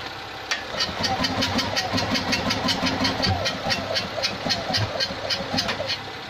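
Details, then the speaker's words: Abandoned Invacar with a 493 engine, first start attempt in 14 years, on jump leads from an 847cc car, trying less choke and more throttle: uneven cranking with sharp chuffs about twice a second, backfiring through the carb, never catching. Timing suspected; the distributor won't move. "Well, 847cc is trying to start 493, but we're not getting there. Keeps on backfiring through the carb, so I think a timing tweak might be necessary."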